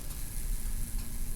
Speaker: Okay, so looking inside the can with the transformer on, looks like this electrode is arcing. There's some sort of arcing on this electrode.